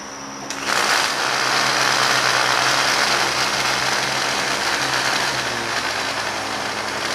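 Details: Starter from a non-running 1971 John Deere 140 H3 tractor, tested off the tractor: even, high-pitched electric whir at steady speed with no grinding or catching. The starter itself is good.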